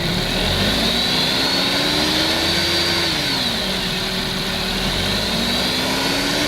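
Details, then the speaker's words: Suzuki Alto after repair of engine-bay rattle at idle that grew with rpm (damaged bolt replaced, alternator refitted): engine idles and revs evenly, noise gone. "and as you could hear in that clip the noise was now gone and this vehicle could be given back to the customer"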